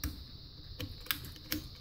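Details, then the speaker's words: Hampton Bay outdoor ceiling fan being tested for repair: four or five crisp light clicks of the pull-chain switches; chains work normally, none broken. "the chains sound pretty darn healthy I don't think any of them are broken that sounds good"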